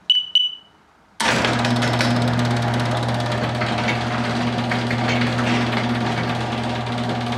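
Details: Garage door opener triggered by a converted car alarm through a relay, final wiring mounted; two quick alarm chirps, a pause, then a steady even motor hum with no grinding or clunks, operating normally.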